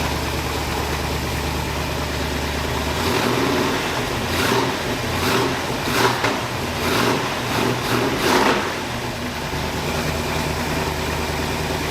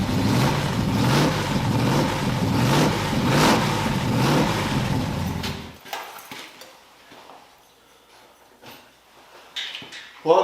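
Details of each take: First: 1981 Oldsmobile Cutlass Supreme with swapped small-block V8, new headers, during cam break-in after starter fix: even V8 idle broken by sharp throttle blips rising and settling cleanly; normal healthy running and revving. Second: Small-block-swapped 1981 Oldsmobile Cutlass Supreme with new headers, battery cables and alternator. About five seconds of harsh, rhythmic grinding from the starter while cranking.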